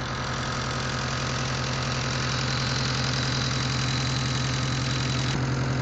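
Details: Mitsubishi Eclipse with 4G63T turbo engine at even idle: sharp regular tick, roughly three to four per second, steady throughout; owner suspects lifter tick or spun bearing, unconfirmed.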